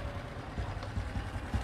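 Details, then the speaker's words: Motorcycle engine idling unevenly with irregular low thumps, revs not dropping promptly after releasing the throttle, caused by an air leak at a loose intake manifold bolt; tightening it changes the sound. "Vậy thì mình kết luận là gì? Con xe này bị lọt khí vào cổ hút đúng không ạ?"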